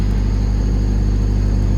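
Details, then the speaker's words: 1995 Honda Civic coupe after replacing the idle air control valve, first cold start with the check engine light on: a steady, deep, fast idle. Presumed normal cold high idle; it did settle back to a normal idle once warmed up. "Or it's probably because it's a cold start. I haven't started the car yet, so this is the first time starting it, so we'll see once it idles down."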